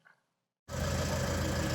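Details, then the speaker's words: Renault Trafic 2 / Opel Vivaro, M9R780 2.0 diesel, after replacing shorted cylinder 2 piezo injector and re-priming the pump: after brief silence, steady smooth even idle with no vibration or misfire, exhaust sound back to normal. "mais là le bruit est vachement vachement fluide ça vibre plus comme avant tout est rentré dans la normal"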